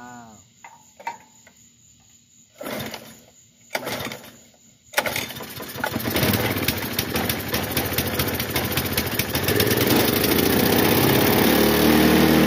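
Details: Bluebird belt-driven aerator small single-cylinder engine after carburetor cleaning, diaphragms checked: a few sputtering pulls, then catches and settles into a steady, even putter running on its own power.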